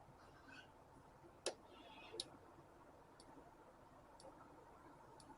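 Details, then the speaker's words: 2000 Isuzu Trooper/Bighorn/Jackaroo injector control test from a diagnostic tool: sharp solenoid clicks about once a second, and injector 4 clicks much fainter. Injector 4 is suspected, not confirmed, and is being replaced. "and the weak click so I'm suspecting that injector four might be the issue so we're going to change injector four regardless"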